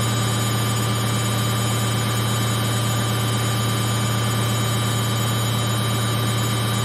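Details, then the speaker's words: Samsung 8kg Eco Bubble front-load washer, fast spin in last 4 minutes of baby care cycle; steady deep hum and whir, no thumping or rattles: very stable, no vibration, no noise. "And the machine is running so fast. but it's very stable. No vibration, no noise."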